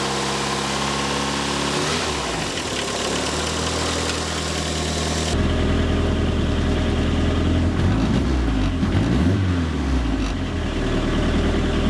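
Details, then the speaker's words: First start after rebuild with fuel pump primed and ignition coils plugged in: engine catches, idles evenly, then steps up to a slightly higher steady run, no knocks or misses; reached full operating temperature without problems. "so everything is looking really good so far I brought it up up to full operating temperature and nothing has gone wrong yet"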